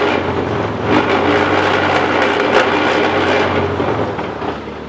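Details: Jeep Grand Cherokee WJ in four-wheel drive, jacked up with the wheels turning: heavy, uneven clunking and grinding about three or four times a second, which began after winter 4x4 use. The worn CV joint on the front Rzeppa driveshaft at the transfer case end was fixed with new yokes and a double cardan.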